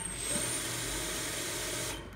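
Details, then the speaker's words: Grizzly G0704 CNC conversion spindle on a VFD; short high squeak just as the spindle starts, with a small ~5 Hz blip while spinning up, then it catches and takes off; squeak on spindle start, cause unclear. "you can hear it it's a like a just when it starts it sort of does a little squeak and E and then catches and takes off"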